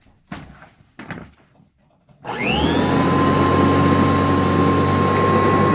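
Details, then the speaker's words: Kirby Heritage vacuum after replacing a cracked rotor/impeller that caused drag, belt slip and burning belt smell: after a few clicks the motor spins up to a smooth, steady high whine with an even hum; normal running after repair. "oh that sound it feels a lot better alright job well done just saved like 300 bucks"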